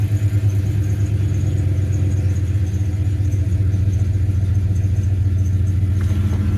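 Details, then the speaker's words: 1996 Ram after starting with an EverStart 1000 A jump pack: steady, even low rumble with no misses or knocks, a smooth, healthy idle. "Well, seems to be doing the job."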